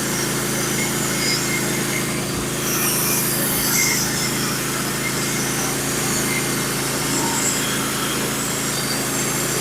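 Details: Norwood HD36v2 bandsaw mill, first cuts with new sharpened Stellicut band and new roller guides on Red Oak; steady engine drone with smooth continuous hiss, no chatter or bogging; smooth cut, slightly less effortless than Turbo 7 bands.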